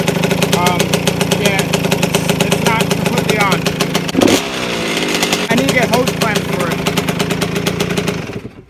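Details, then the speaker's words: 1992 Suzuki RM125 two-stroke after carburetor fix, started with choke off: crisp revs blip up and settle cleanly; running healthy, only a rattle from the loose muffler front needing hose clamps. "sighs guys to tell this thing's running great sounds great other than that rattle from the muffler I need to get hose clamps for that"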